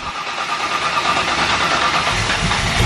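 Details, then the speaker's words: Just after first start on a Sniper EFI setup (fuel pressure 58 psi), the V8 runs loud and uneven, beat wandering, a little rich with throttle held; rough idle because base timing was never set to 15° BTDC. "i actually forgot to set the base timing before i did everything"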